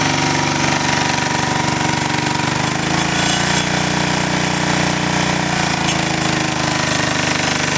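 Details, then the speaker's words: Small five-horsepower single-cylinder generator engine running on wood gas from a gasifier burning small branches and sticks, load just disconnected; holds steady, even drone with no misses, healthy. "I'm going to disconnect the load I want to hear the RPMs of the engine"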